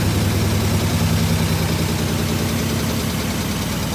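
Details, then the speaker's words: 1967 IH Loadstar 1600 truck during overhaul, engine idling low and steady after coming off high idle, with a quick faint ticking from an exhaust leak riding on top. "We have exhaust leak. You guys can hear the tipping."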